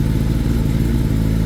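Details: 2021 Gen 6 Kawasaki ZX10R after oil change with no oil pressure, fixed by loosening the oil filter to bleed air and prime the pump; steady, even low idle, no knocking or rattle, oil pressure restored and healthy.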